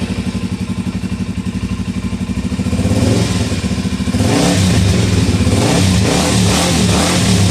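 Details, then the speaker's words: 2004 Suzuki DR-Z400E single after carb rebuild, initial startup with choke pushed fully in: even putting idle, then crisp revs holding a smooth strong note, fires right up and goes straight to idle; healthy engine. "you know after so long messing with just stuff that won't ever run it's really nice to just have a machine that fires right up"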